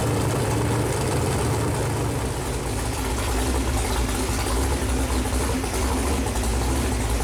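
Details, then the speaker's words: Chevrolet Performance 454 big-block V8, fresh build on a run-in stand, first run: deep, steady, even burble with no knocks or ticks; temperature hung around 190, oil pressure really good, idle and revs where the builder wants them; normal idle. "motor started up runs good got up here and hung around 190 uh uh oil pressure seemed to be really good idling and revved up seem to be kind of where I'd like it"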